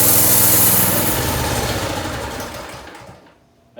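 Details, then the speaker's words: Harbor Freight Predator 212cc engine on a DB30 doodlebug with a faulty carburetor, idle screw nearly all the way in: revs briefly, then sags and dies once the choke is more than halfway off. It won't idle and cuts out at full throttle; carburetor replacement is planned. "there the idle screw is all the way in pretty much that's why it started to move but when i put the choke all the way off it turns off every time"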